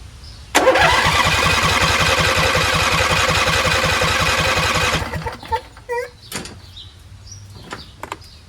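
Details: Husqvarna YTH20F42T lawn tractor repowered with a Briggs 21HP V-twin, choked and not started in an unknown time: steady starter cranking at about four beats a second never catches, though fuel reaches the carburetor.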